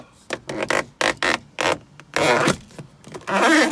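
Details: 1992 Mercedes W124 300E sun visor: dry, rubbing squeaks and creaks in uneven bursts each time the visor swings up or down, from a dry pivot shaft; lubing the shaft had only silenced it for a few days before.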